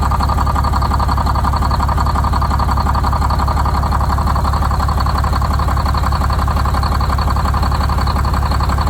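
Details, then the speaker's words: Detroit Diesel 6-71 two-stroke, first start after new 4-valve head and Davco 382 fuel filter install, valve cover off so not revved: deep, steady idle with even beat about two per second, no misses or knocks; idle set via buffer screw; normal idle. "but it evened out pretty good there. Got the idle set."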